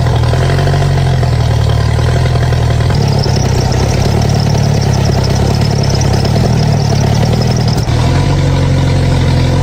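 Firm, even diesel clatter at idle that picks up briefly and settles back smoothly, with no knocks or misfires; it sounds healthy.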